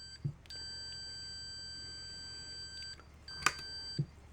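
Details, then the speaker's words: Multimeter continuity beep at about 158–159 ohms on decade box: steady high tone over two seconds, cuts off, returns; threshold about 160 ohms, so beep only shows a fuse is under 160 ohms. "shuts off at 159. Oh, we're still getting it. So, it's about 160 ohms."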